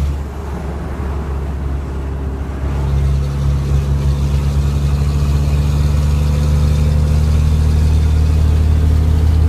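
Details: Late 2004 Cummins 600 diesel at idle: quick rhythmic puffing tick over the drone, an exhaust leak from a misaligned V-band flange at the turbo downpipe.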